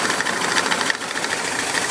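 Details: VW Bus Type 4 engine at a busy idle with a light, rapid, steady knock through the clatter, coming from the 12 o'clock position on the fan; cause not found; knocking noise.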